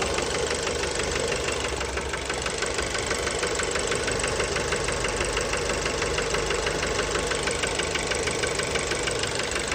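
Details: Fiat Bravo 2 1.4 T-Jet 150 HP, 215,000 km, recently serviced, close-up at engine: sharp steady knock about three per second at idle; worn rod bearings confirmed, car scrapped, cause unknown.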